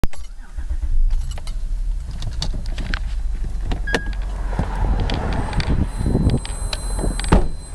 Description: trying to figure out what this insane noise is